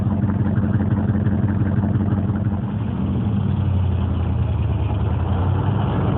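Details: Corvette Stingray V8 with Hypertech tuning reprogrammed via OBD port, changing timing and engine parameters, idle adjusted: steady lumpy V8 idle, even low beat, no tapping; normal idle.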